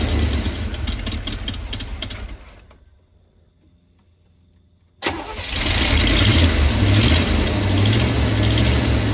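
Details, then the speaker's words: 1985/1986 Chevy Hi-Cube van being revived, running after the fuel pump was primed: fires right up and settles into a steady, even low idle rumble, sounds healthy. Vacuum lines still need replacing; owner plans a mechanical fuel pump. "But got it step in the right direction. It runs pretty good. Sounds pretty healthy."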